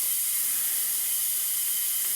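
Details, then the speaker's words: 469 big-block Chevy dragster engine in a cold leakdown test, piston at TDC on the compression stroke. This cylinder reads about 28% versus about 10% on the others; a steady high-pitched air hiss is heard through the crankcase, a cylinder leakage air hiss. "so now we got to track it down so you can hear that hear it coming up through the crank case so that's air leak that's just coming past the regu"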